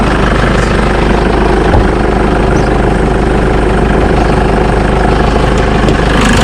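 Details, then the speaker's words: Jeep Wrangler JK 2.8 CRD diesel at idle right after oil and filter change; steady even diesel clatter with no misses, knocks or hunting, much smoother than before; normal idle. "we go I certainly sounds much better than it did that's pretty good"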